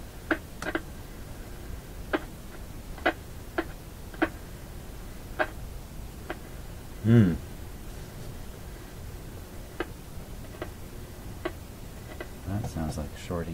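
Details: Philco PT-10 tube radio after power-supply filter capacitor replacement: sharp irregular clicks and pops about once a second, a louder burst midway, over quiet hiss while tuning; tuning capacitor's outer plates suspected, not confirmed.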